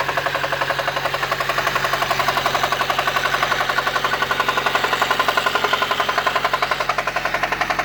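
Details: 1993 Honda Civic EG8 with D16Y1 VTEC swap, oil pressure light on: hard sharp knock about four per second at idle, evolved from ticking after 5W30 oil change, with stalling; bottom-end rod knock suspected, not confirmed.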